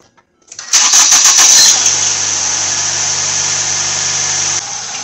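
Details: 2011 Ford Fusion after a thermostat replacement for P0128 and front wheel bearing work, started to bleed in coolant with the heater on hot: quick catch, then a steady even idle with a strong hiss. Normal engine start.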